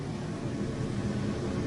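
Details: RV AC unit after replacement, fan just switched on: even, steady low whoosh with slight hum, no rattles or pitch wander; blower running smoothly and healthy.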